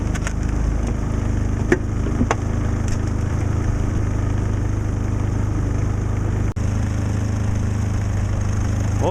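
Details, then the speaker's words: Predator 3500 inverter generator, cold start after sitting weeks outdoors at almost −20°, using the small battery's electric start with eco mode off. It cranked slowly and started on the second try, then settled into a steady, even drone with no surging; running normally. "after i stopped the starter for just a few seconds and pressed it again it started right up"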